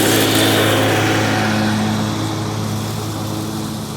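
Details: John Deere 345 with Kawasaki FD611V V-twin at about 490 hours, after revival repairs and a fuel filter change. Steady, even drone under mowing load, easing off slightly, no misses or knocks; runs smooth and uses no oil.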